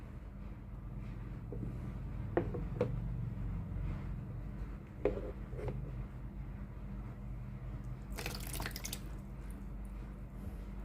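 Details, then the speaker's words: Tefal GV8950 steam iron with no steam, water pump removed and bench-tested on 220 V: steady low hum with water trickling through; pump working normally, three-way water valve suspected faulty. "ก็แสดงว่าตัวปั๊มน้ำนะครับสามารถสูบน้ำได้นะครับปั๊มน้ำน่าจะไม่เสียนะครับ"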